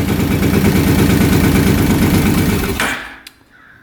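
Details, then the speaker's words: 2006 Kawasaki Brute Force 650 V-twin ATV, seller said it wouldn't exceed 30 mph, running just after valve adjustment: sharp irregular pops about three per second, then cuts out; backfiring, timing suspected off, not confirmed. "I suspect timing's off if it's backfiring so I think what we're going to do is quick check timing"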